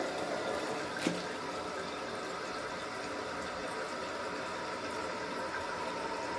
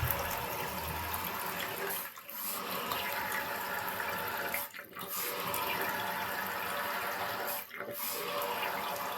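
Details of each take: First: Toto 528 toilet tank refilling after fix, steady even rush of water with one small click near start; normal refill. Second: Toto 528 toilet refilling after a flush: rushing water hiss cut by repeated brief drops roughly every three seconds.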